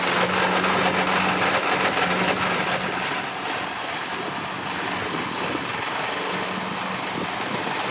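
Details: First start of a Massey Ferguson tractor after 12V conversion, new coil, cleaned points and fresh fuel: rough running with steady knock about three per second over exhaust; source unidentified.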